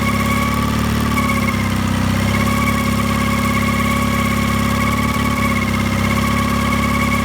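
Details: Mercury 9.9 Pro Kicker outboard making a humming noise at low rpm; owner suspects a bearing, cause unknown.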